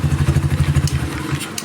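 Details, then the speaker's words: Kawasaki Barako 175 after a tune-up and retuned old carburetor, hard starting traced to a stuck valve and worn camshaft: starts on one kick and settles into an even single-cylinder idle with no ticking or knocking on top, very quiet; normal idle. "Napakatahimik pa ng makina niyan mga idol. Napakatahimik pa ng makina."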